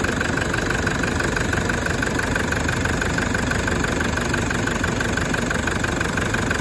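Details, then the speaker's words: 1KD-FTV diesel just after a full new injector kit, first start: steady, even diesel clatter at idle with no misses or knocks, briefly under load as it went straight into reverse out of the workshop, then neutral; normal healthy idle. "that's what it sounds like right and uh the only reason it sounded like it was under load is because straight away it went into reverse to get reversed out so we don't fill the workshop with uh diesel fumes"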